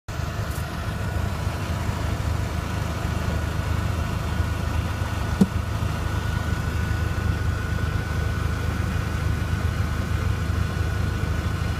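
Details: Mk4 Jetta 1.8T at idle: steady low idle with a single sharp pop from under the car about halfway through, an infrequent popping noise.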